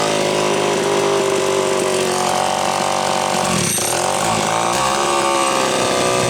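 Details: Homelite Super XL chainsaw test cut after fixing a loose cylinder nut (cylinder gasket issue) and filing and gapping the points. High two-stroke buzz drops briefly as the chain bites wood, then recovers cleanly; normal running under load, being retuned from slightly lean.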